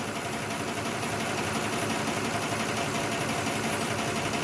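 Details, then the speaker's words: 2006 Lexus ES330 V6 idle: busy valvetrain ticking and an uneven beat from dead cylinder 5 with a stuck-closed injector; tapping on the injector gave only slight improvement, so injector cleaning will be tried next. "not enough because it still appears to be missing yes okay well i guess i'm gonna try injector cleaning on this one and see what that does"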